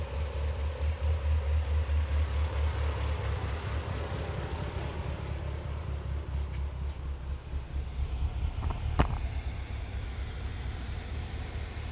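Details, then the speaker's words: Mitsubishi Evo 8 rebuilt with a new OEM engine, running at a steady low idle with an even pulse, no knocks or misses, just a faint cam chatter on top. "so here it is it is a running car so we're gonna do a little walk around and show you what it sounds like"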